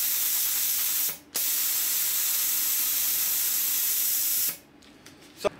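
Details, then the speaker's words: Plasma cutter reassembled after fixing a loose plug clipped into the circuit board that stopped air flow; strong steady air hiss, brief stop, then returns and holds; torch blowing air normally. "so i was lucky that time guys because it was just a little plug that clips into the circuit board it just got loose and just come up a little bit"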